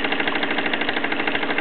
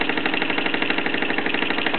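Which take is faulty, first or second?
first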